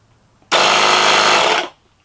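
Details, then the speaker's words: Schumacher SJ1332 jump starter's built-in air compressor, run after replacing its bad gel cell battery, casing still open: loud, even buzzing drone; owner expects it to be quieter once reassembled. Normal running. "okay it's loud enough sounds like it's doing something probably be a little more quiet once i put it back together"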